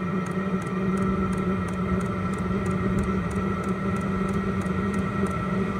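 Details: H Calory diesel heater at startup, powered from a portable power station. Steady fan whir with a light fuel-pump tick about three times a second, even and smooth; normal warm-up.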